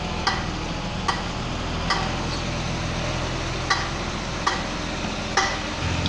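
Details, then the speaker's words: BMW (E39 parts) cold, creeping in reverse: metallic clicks about every 0.8 seconds over idle, also da-da sound on light throttle forward; rear drum parking brake or differential suspected, not confirmed; rear clicking when reversing. "它主要是倒退才有怪聲對這種聲"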